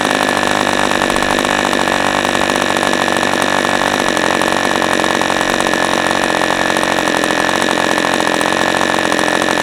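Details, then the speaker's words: New-in-box OS 40 FP glow engine on first run, stand-mounted, 11x5 Zinger prop, OS #8 plug, 5% castor/synthetic fuel, after air bleed opened to lean rich low end: steady high-pitched buzz, even with no misses or sag; normal healthy running. "Engine is just as I expected an OSFP engine to be."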